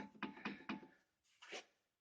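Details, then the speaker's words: Opel Astra J: three sharp hollow knocks then a softer scrape, loose clattering of the brake calipers on their brackets. The rattle persists after dealer warranty replacement of the calipers. "так брякает суппорт после замены у дилера типа новые скобы должны устранить фиг вам фиг нам"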